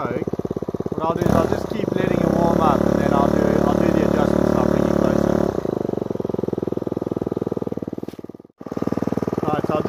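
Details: Repaired Ryobi two-stroke strimmer started on choke after priming the bulb, given a quarter turn; buzzes up to a fast rev, drops back and nearly dies before picking up; unstable, blubbery idle, owner thinks fine tuning will fix it.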